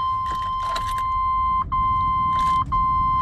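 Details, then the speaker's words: V8 van with a Costco Type S jump starter charged to 100%: steady beep from the booster over cabin hum, no cranking or firing; the jump pack fails to start the engine. "It's not gonna start. Dead. So this product is not gonna work after I charge 100%."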